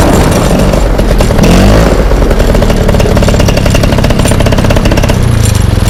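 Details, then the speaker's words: Fresh Breeze Monster paramotor, two-stroke, back from repairs, choke off, on the drive: loud raspy buzz holding steady at moderate throttle with no cutting out or stumbling; good thrust, runs cleanly. "Okay, so she sounded pretty decent, right? Going up and down the drive, I couldn't really hold the throttle on."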